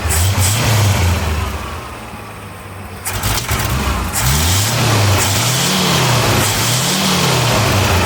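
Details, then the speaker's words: 1979 Ford High Boy V8 after carburetor mixture screw backed out a quarter turn: runs evenly, then revs and drops back cleanly on repeated blips with no stumble; normal idle and revving. "we'll give it a quarter and see if it helps anything turn already sounds better let's go Revel a little bit"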